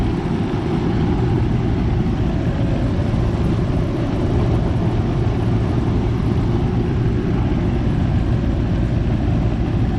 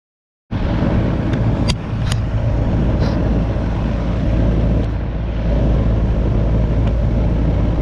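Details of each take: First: Goodman AC condenser just started after replacing the 45/5 MFD capacitor: steady low hum with even fan rush, no clicking or buzzing at start; compressor and fan run normally, head pressure still high before coil cleaning. Normal running. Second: Goodman AC condenser not cooling, 45/5 MFD capacitor bad: only a steady fan whoosh with no deeper compressor hum; fan runs but compressor does not start. Failed run capacitor, compressor not starting.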